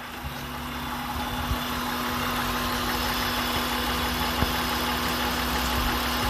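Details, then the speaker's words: 2003 Honda Pilot after cleaning the idle air control valve for P0505, high idle and VTM-4 light, fully warm around 195°F with fan cycling: smooth, steady idle, even low hum, no hunting; normal. "again yeah everything seems normal and still bubble coming out"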